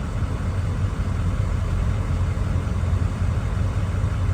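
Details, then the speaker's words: 2003 Ford Excursion 6.0 Powerstroke diesel idling after fuel filter/water separator housing service, warning light still on: low even diesel rumble at steady idle, no misses, knocks or hunting; normal idle. "Feels pretty good, sounds pretty good."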